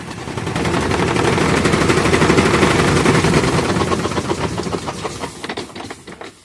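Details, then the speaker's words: Consul 12 kg washing machine that screamed on spin: with a different belt fitted, the spin runs with rapid loud thumping about four times a second from bouncing while tilted, but no belt squeal. "mas pode ver aí que ela vai entrar sem faz o barulho Porque a correia é outra tá vendo"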